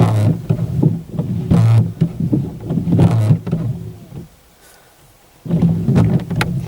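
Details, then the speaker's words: Car windscreen wipers on wet screen still juddering and squeaking after cleaning with rubbing alcohol and white vinegar — chatter from old, hardened blade rubber needing replacement. "as you've seen we've just cleaned it with the rubbing alcohol and the white vinegar and it's still making the noise"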